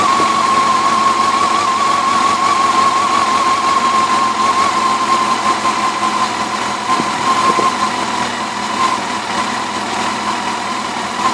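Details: 2004 Yamaha FJR1300 at steady idle: fast, light ticking over the engine note with a constant high tone; cause of the tick unclear.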